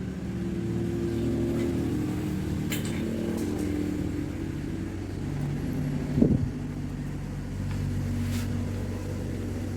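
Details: Honda Beat FI scooter that had total ignition loss, after jumpering the faulty Fukukawa regulator/rectifier (kiprok) wiring: steady even low idle hum with one brief clunk; runs normally again.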